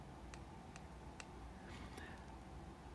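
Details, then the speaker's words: Shimano Vanquish spinning reel handle rocked in a quiet room. Three light, sharp ticks about half a second apart from roughly 0.3–0.5 mm handle free play, described as normal on a perfect reel. "The handle on my perfect vanquish. I consider this vanquish perfect has a little wiggle. It's like 0.3 millimeter wiggle maybe 0.5 millimeter wiggle."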